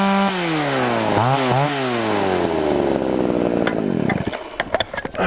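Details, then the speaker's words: Chainsaw two-stroke carburetor mixture adjustment, filter fitted: pitch swings up and down, then sags into ragged stumbling firing and dies; set too rich it breaks up, too lean it lacks fuel when throttled. "at first it was too much and it kind of sounds it breaks up the second time I ran it to lean and when you squeeze the throttle it doesn't have any fuel"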